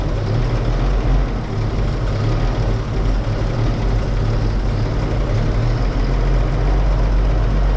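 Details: 1931 Oldsmobile F31 barn find, first start after clearing a cork chunk (likely from the homemade fuel-bowl cork gasket) stuck in the fuel-pump valve; deep, even, steady idle with no surging or misfires. Normal idle.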